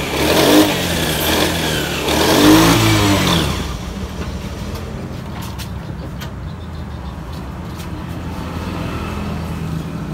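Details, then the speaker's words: Yamaha Mio 125 scooter with MIL code 15: engine blips unevenly and stumbles as it revs, then settles to a rough idle; code 15 indicates a throttle position sensor fault, to be checked. "Oke jadi ini ml15 ya May 15 itu menandakan TPS bermasalah jadi kita akan buka dulu kita akan cek ya"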